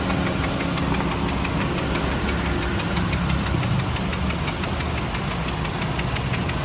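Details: Honda Civic engine running with a steady fast ticking knock over the idle rumble; engine knocking noise, cause not pinned down.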